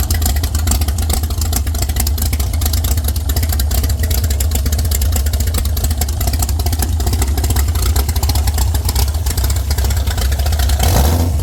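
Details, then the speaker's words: Former world-record Ford 300 inline-six race engine with Pro Stock Boss 302/351C head in a 23 Roadster: loud, deep, lumpy exhaust roar holding steady with heavy low rumble; running strong, nothing out of place. "I'm going to get Rob to come on in here and help me fire this thing up"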